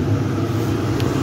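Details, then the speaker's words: Chinese diesel heater fitted with an external thermistor temperature sensor, after about 41 minutes of testing, glow plug off, pump running at full blast to heat up: even low rumbling hum of fan and combustion at steady level; running normally at full output. "no plugs off is pumping it's a full blast it's trying to heat up so it's going that's good so it's nice and warm"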